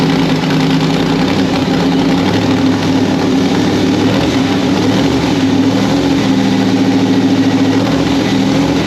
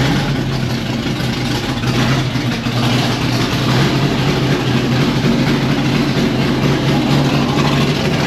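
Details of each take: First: 1993 Ford Mustang Fox Body with a fresh 351W 5.8L V8 swap, static ignition timing set near 10–12° after a messy idle: loud, steady idle with a fairly even lope and no ticking or knocking; normal idle. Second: 1992 Fox Body Mustang with swapped 351W 5.8L V8 and Holley parts, ignition timing reset to 10° static from 12°: low, uneven, lumpy idle that hunts instead of settling; shakes a little less than at 12°, which gave a messy idle.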